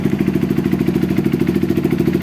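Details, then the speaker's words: Honda CRF150L after engine split and clutch shaft bearing replaced for rough clutch-side noise: steady even single-cylinder idle, smooth with clutch pulled or released, no clatter; repair successful, slight exhaust leak from poorly seated gasket. "Ini di kopling sudah halus, dilepas kopling juga halus, tidak bunyi kletak-kletak lagi ya."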